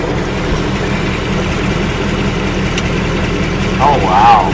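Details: Idle on a new engine just after its first oil change, with a faint, uneven light top-end tapping under the drone. The owner thinks it is a subdued version of the earlier knock, and the cause is not yet known.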